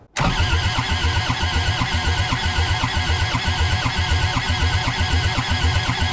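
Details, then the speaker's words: Old Kubota diesel skid steer, injectors just reinstalled after testing, all four lines cracked to prime, cold snowy day: steady whirring crank about two strokes a second with no start; ether then tried, cranking slows, and owner suspects the glow plugs. "all right now it's turning over too slow all right these kubotas are really sensitive they like their glow plugs"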